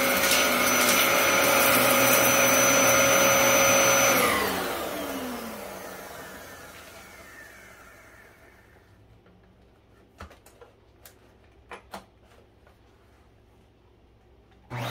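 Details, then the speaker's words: Dyson DC07 upright vacuum running normally: steady high motor whine with smooth airflow rush, winding down evenly after switch-off; clutch-driven brush roll with two belts, moderately loud. "very easy to maneuver the weight is balanced very well and this machine is it's not loud but it's not quiet either"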